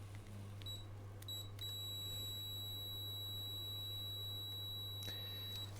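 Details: Multimeter continuity test on Triumph Bonneville T100SE ECU harness, pink/black wire to pin B20, checked for a rough-running fault: steady high meter tone unbroken for several seconds over low hum, wire has good continuity, pin fine.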